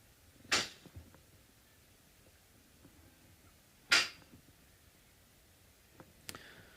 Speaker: so I don't know if you can hear the banging those are banging heat pipes it drives me nuts it drives everyone nuts here